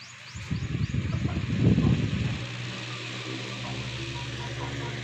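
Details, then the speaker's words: Repaired electric fan, final test without covers, fix was plastic clamped in to grip: low, steady, even motor hum with no rattle; fan works again. "Lipat na natin sa number two. Yun, lakas. Number three. Yun, parang lilipad na."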